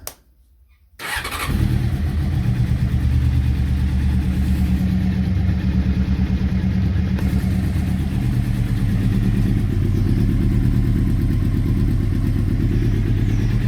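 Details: Honda CBR600F four-cylinder, first start after reassembly: lumpy, uneven idle, as if a few cylinders are missing. Cylinders three and four exhausts ran much hotter than the other two; ignition tested and carburettors removed to diagnose.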